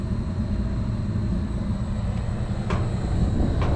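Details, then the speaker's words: York packaged rooftop unit (furnace and AC) on a no-cooling service call: the thermostat is set to cool at 68, the contactor pulls in, and the evaporator fan motor runs with a low, steady rumble and no knock or squeal. The belt is a little wobbly but okay; normal running. "see what happens right there that contactor pulled in we know that's good so that one is our definitely our evaporator fan motor hear it"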